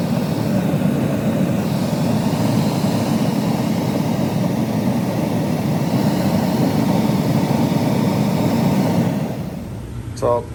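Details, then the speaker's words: Gas furnace after replacing the inducer motor, whose failed bearing caused screeching and short burner cycles: steady low roar and airflow rush with no screech as the burners fire up; furnace runs healthy. "yeah the new one is silent all right let's see how it fires up"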